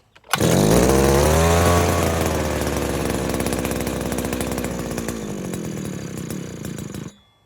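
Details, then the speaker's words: New Henghai 2.5 HP two-stroke outboard, first start, out of water on full choke: buzzy high-revving chainsaw-like rattle, holding steady and slightly fading; running cleanly. "is full choke, and it did start, so kind of sounds like a chainsaw, don't you think?"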